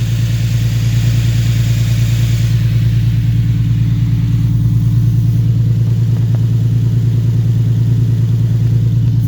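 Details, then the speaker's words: Infiniti G37 with VQ37 engine, right after installing headers: low, lumpy idle with a repeating stumble about twice per second; one cylinder misfiring, suspected from not disconnecting the battery; smoke from header wrap has stopped, no exhaust leak heard. "okay guys so now the smoke is gone but we have one slight problem the car is sort of misfiring"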